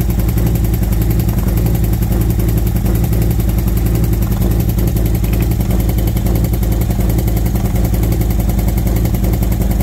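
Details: V-twin motorcycle with new SS540 cam and valve springs, lifters adjusted to four full turns, warmed up at idle: light, loosely regular tick over the low rumble from the front valve cover; noise improved slightly but persists, owner suspects front valve train, exhaust side.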